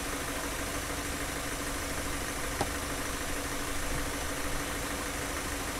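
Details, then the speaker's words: Car engine idling during fuel injector cleaning: a ticking "tuck tuck" heard at the start has gone; now a quiet, even idle with a steady hum; runs smoothly and healthy. "now you you notice the noise of the engine is getting smoother and smoother when we started we can hear the tuck tck tck tuck tuck but now it's a smooth noise"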